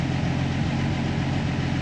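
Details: Jeep Willys with FuelTech programmable injection, steady fast even idle with a low drone and no misses; idle sits higher after the fuel map change.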